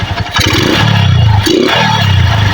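Single-cylinder bike idles unevenly, the beat lumpy and hunting between throttle blips; mixture still off, rough idle persists after adjustment.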